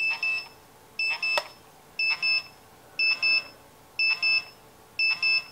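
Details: Radiation detector held against a 1951 GE Telechron clock radio with radium-painted hands: sharp, high double chirps repeat about once a second, steady and insistent, as it alarms on the radioactive dial paint.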